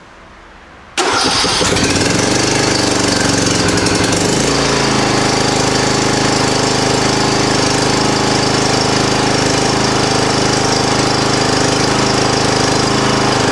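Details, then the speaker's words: 2007 John Deere LA105 lawn mower after rebuild and new gas tank, half tank, on choke: starter churns several seconds before the engine catches and runs steadily; extended cranking needed to draw fuel through the empty line. "choke i have to crank it quite a bit to get fuel through the line"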